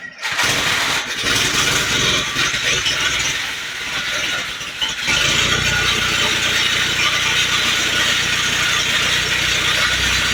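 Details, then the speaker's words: 1948 Willys pickup engine after fitting a professionally rebuilt carburetor, still on old plugs, wires, points and coil. It catches after a short crank and settles into a steady, even idle with some hiss. Normal idle. "There's a big smile. It's idling nice. We were just talking about it. It's idling good, but it's idling with old plugs, old wires, old points, coil."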